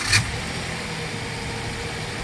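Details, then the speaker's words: 2014 Subaru Tribeca EZ36, 137,000 km, idling after timing chain rattle repair with timing case cover refitted: even, smooth idle with steady low hum, no tapping or rattle; normal healthy idle. "running fine on it it's actually really smooth again now so this is good good to go for another hundred thousands"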